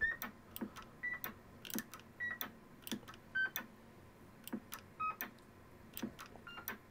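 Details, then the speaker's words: Vintage 7-tone CB roger beep board rebuilt with ceramic disc capacitors: short clean tone pips one at a time between keying clicks in single beep mode; working, though less crisp than the original. "so as you can hear it is beeping accordingly so that's in single beep mode if we go too high it doesn't produce a beep but yeah seems to be working"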